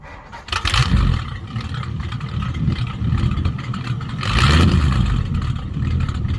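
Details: 1951 Mercury after a Rochester 2-barrel carb swap and muffler delete to straight pipes: loud, open exhaust rumble rising with two throttle blips and settling evenly. Normal running; owner notes it may run slightly short of fuel and need tuning.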